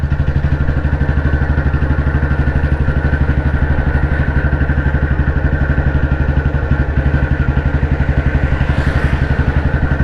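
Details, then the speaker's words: Royal Enfield CI Bullet 350, 2009 build, 2010 registration, after engine work, riding in top gear at low speed around 35-40 km/h: steady even thumping about four beats a second, smooth pull without knock; normal low-speed exhaust note. "കാരണം ഇതിന് അങ്ങനത്തെ silencer വരാത്തതുകൊണ്ട് exhaust not ആസ്വദിച്ചുകൊണ്ട് ഇതിലൂടെയും പോകാൻ പറ്റുമെന്നുള്ള CI എൻജിൻ്റെ പ്രത്യേകതയാണ്."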